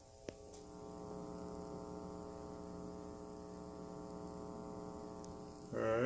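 A steady low electrical hum with a buzzy stack of tones; a laptop power adapter near the mixer induces it.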